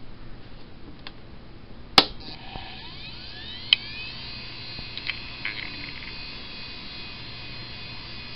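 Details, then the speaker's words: Western Digital Caviar 20 GB hard drive made 27 March 2003, used many hours in a company for several years: a thin whine climbs on spin-up, then holds as a steady high hiss with ticks; loud, worn drive. "celui ci comme beaucoup d heures ils étaient utilisés dans une compagnie pendant quelques années donc vous allez entendre une beaucoup de bruit de celui ci qui a été fait le 27 mars 2003"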